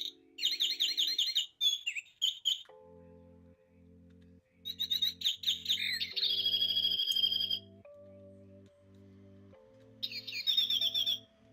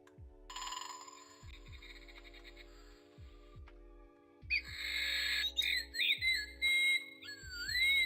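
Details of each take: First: Clock whose bird chime works one minute and not the next: bright chirping bursts cut out to low tones while the clock keeps ticking; intermittent, contacts suspected (to be cleaned), not confirmed. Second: Clock after having an issue: soft ticking, then clear, unbroken chirping bird calls; the bird chime is playing back normally.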